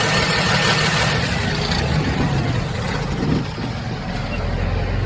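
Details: Tata Signa BS6 diesel truck after self-starter motor repair: starter cranks briefly and the engine catches cleanly, settling into a steady low idle with no grinding or chatter; normal starting.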